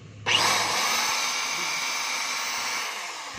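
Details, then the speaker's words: Black & Decker grass trimmer after replacing the housing and gear, run with cover back on before fitting the guard; smooth steady high whine, no rattle or grinding, earlier noise gone; normal running. "So wala na po yung ingay niya mga kabay, matining na po."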